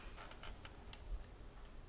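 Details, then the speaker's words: Old Jeep Wrangler abandoned 20 years: quick, light ticking about five per second after shutdown with no engine running; owner suspects valve train losing pressure and snapping into position, possibly sludge, unconfirmed. "That's gotta be valve train making that noise, I'm sure of it. As it's slowly losing pressure but snapping into position. I wonder if that ticking noise is a sign of like sludge."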